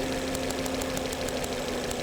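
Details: 2011 Volvo C70 with intermittent hesitation and low power, no codes; spark jump test on known-good new coil, sharp regular snapping about six a second over engine hum, spark jumping about 1.5 inches; normal ignition spark.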